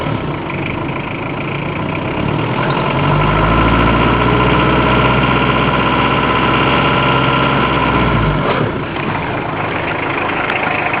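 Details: Citroën BX accelerating: engine note climbs a few seconds with a rough, raspy hiss, not like escaping air, seemingly from the footwell, then falls back to idle; source not pinned down; poor-quality audio.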